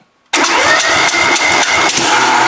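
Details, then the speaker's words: Compression test on a twin-cylinder engine (Plan B): carburetor cleaned and adjusted, valves adjusted; cranked at wide open throttle, both cylinders about 200-202, even. Steady, even cranking pulse about four per second, strong on every stroke: normal compression. "can I can tell with my thumb I've done it enough that uh I could tell that we had plenty of compression to run but uh all right well we know we got good compression on both cylinders"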